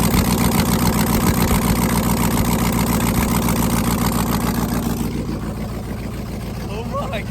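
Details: Rebuilt 5.3L truck V8, second startup, Texas Speed stage 3 truck cam 216/220 .600/.600 112 LSA, no headers, stock bottom end and tune: choppy loping idle, steady regular beat, then settling quieter; healthy after rebuild.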